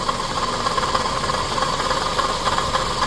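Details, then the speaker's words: 2007 Scion tC, 5-speed manual, customer complains of clicking and ticking: a steady rough growl with gritty rattle and faint whirr at idle. The water pump pulley visibly wobbles; the water pump is to be replaced. "so I'm pretty confident it's for the water pump"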